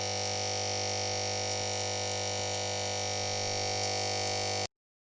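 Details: Old mains transformer (power supply) buzzing harshly with a deep hum from loose, vibrating laminations; the fix is to remove it from the equipment, soak it in lacquer and bake it in an oven at 200 °C.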